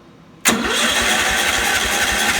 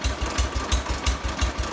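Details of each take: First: 1970 John Deere 140 that won't start; with a little choke and half throttle it cranks steadily about four seconds but never catches. It runs on starter fluid, so ignition is fine, but no gas reaches the carburetor: fuel starvation. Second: 1970 John Deere 140 lawn tractor, just restarted after a fuel-flow no-start fixed by pressurizing the tank: slow, lumpy, deep steady thump about six beats a second at very low idle, roughly 250–500 rpm; normal.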